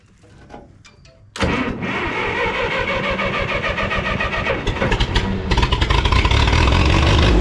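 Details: 1954 Minneapolis-Moline UBU tractor after a tune-up with new plugs, wires, cap, rotor, points and condenser, carburetor clean and timing adjustment: catches first try into a steady, even idle, no knocks or misses; a slight hesitation and some smoke, possibly fuel-related.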